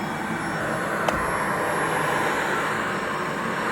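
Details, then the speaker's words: Shark anti-hair wrap vacuum, fairly new, bin full to max and brush bar wrapped in hair; strained, steady motor roar with a hollow, choked tone, airflow sounds blocked, probably from clogged filters. "it sounds a bit blocked. I believe that's probably because the filters are clogged."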